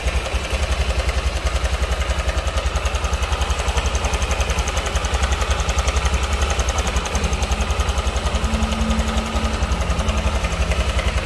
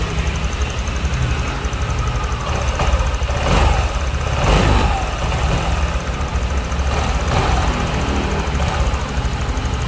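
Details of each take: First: Honda Vario scooter idling with a steady rough clatter on the firing beat; worn cam chain tensioner letting the chain rattle, to be replaced without engine teardown. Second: Honda Vario scooter after replacing the cam chain tensioner: single idles with steady, even putter and no chain rattle or ticking; quieter and calm.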